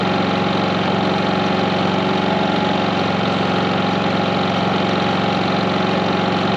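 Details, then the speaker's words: 4500 W generator with 30 A RV plug running 15,000 and 13,500 BTU RV air conditioners fitted with soft starts: steady even drone with constant pitch, no surging or hunting; generator carries the load smoothly. "going nine that's the inverter and everything people so you hear how smooth"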